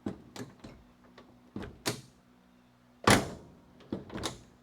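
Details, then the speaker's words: 1969 Dodge Coronet 500 sedan, 318 V8: several dull, deep thumps as the door shuts. The door no longer lines up with its striker and lifts slightly when opened, suggesting the front of the car is sagging. "Hear that? That deep thump. That means the door isn't aligned anymore. It's not aligned with its striker, which means the front of the car."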